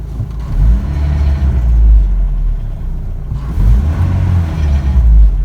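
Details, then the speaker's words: 1985 Toyota pickup 22R 2.4L after intake cleaner treatment and test drive: deep even rumble swelling cleanly with each throttle blip and settling smoothly; idle and throttle response good though driving not yet perfect. "it idles very good you know it always it really has uh idle good throttle response is very good that hasn't really changed"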